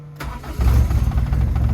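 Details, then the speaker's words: Daihatsu Charade project car with a 6-speed transmission, rain-damaged, reverse not engaging: brief starter whirr, catches within a second and settles into a steady low idle; normal start. "तो आइए भाई साहब project जनाजे को जी self मारते हैं, देखते हैं भाई साहब स्टार्ट भी हो रही कि नहीं।"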